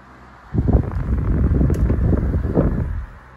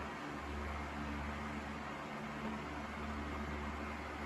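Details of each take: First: Sears 12-inch oscillating table fan 453.80120, about 40 years old, cleaned and freshly oiled, on high speed; steady whir with loose, irregular low rattle that comes and goes, owner thinks typical wear of a worn old fan: intermittent rattle and vibration. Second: Sears 12-inch oscillating table fan 453.80120, freshly oiled, on high speed: steady airy rush over an even low motor hum, no scraping or ticking; runs smoothly, though a subtle head shake and vibration come and go.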